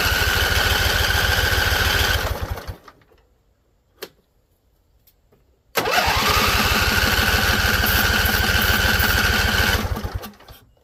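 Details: Husqvarna Z254 mower with an apparently swapped engine, spark plugs seemingly not gapped properly: after choke and carb spray it catches, runs rough a couple of seconds and dies, then catches again and fades after four seconds. Owner suspects flooding.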